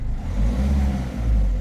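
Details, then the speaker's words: Peugeot 3008 1.6 HDi diesel, engine light on, speed-limited sometimes under 50 km/h, P0339: under acceleration it pulls in two surges with a sag between, stumbling; misfire. "donc à l'accélération sensé faire des trous ça fait des trous ah voilà donc voilà les symptômes"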